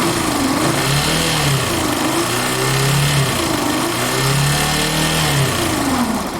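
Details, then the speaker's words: Factor 150 single-cylinder engine with a sinister droning hum and vibration building under throttle, revs rising and falling; noise disappears when the two white stator wires are unplugged, suspected short in the stator's magnetic field dragging the flywheel; fix: replace stator. "a impressão que eu tenho é que o campo magnético no estator por algum curto alguma coisa e começa a forçar"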